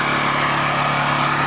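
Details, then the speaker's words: Honda EU2000i generator, started cold, microphone at the exhaust: low steady hum with even, mellow tone, no knocks or pinging; running normally and quietly. "It is definitely not loud. That is the direct exhaust right there. It doesn't get any louder than that."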